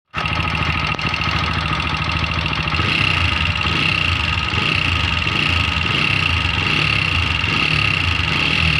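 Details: TVS Apache 4V BS6 at about 60,000 km, cam and rockers broken from poor-quality engine oil: busy loud top-end clatter over steady idle with sharp ringing tone; worn rocker and cam.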